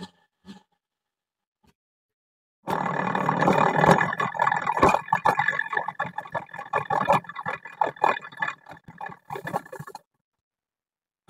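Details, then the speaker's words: Honda Vario 125 rear wheel spun by hand: rough, gritty "grr grr" grinding from the CVT rear pulley, mainly a worn rear pulley bearing. "oke mas Vario 125 punya jenengan sudah tak cek sudah tak analis yang menyebabkan bunyi kasar Mas pada bagian CVT bunyi gr gr gr G ya Mas itu di bagian poli belakang Mas letak masalah ada padaakar dan juga lebih dominan ke lakerpi Mas"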